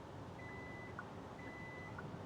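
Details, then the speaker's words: Kia EV9 power tailgate released mid-close without holding the button: it stops and sounds steady half-second high beeps about once a second over a low hum, a safety warning; power tailgate stopped warning beep. "and let go, it will stop. So this is a safety feature. In fact, you hear the long beep now because you think something is wrong."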